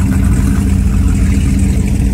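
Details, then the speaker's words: 1995 Formula 419 boat with triple 502 V8s, running in the water: deep, smooth low rumble holding even idle, no misses or knocks, sounds good but not overpowering; normal running. "Nothing like having three 502's. See, it still sounds good, but it's not overpowering."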